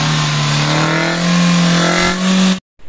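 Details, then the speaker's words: 2010 Kia Rio manual, not started in over two months, now running after troubleshooting: the engine tone climbs smoothly through two clean blips and cuts off sharply, with no misfire or rattle, so it runs and revs healthily. "yun ay napaandar na natin ang Kia Rio 2010 mga sir"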